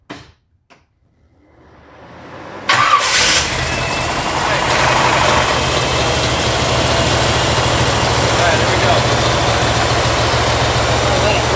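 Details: 1985 Pontiac Firebird Trans Am, crate Jegs 350 V8, carburetor idle mixture screws backed out about a half turn: engine catches and settles to a steady even idle, no stumble; idle was high, choke now open, running much better.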